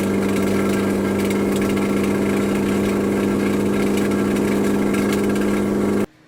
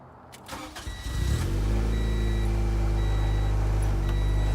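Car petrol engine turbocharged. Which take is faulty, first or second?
first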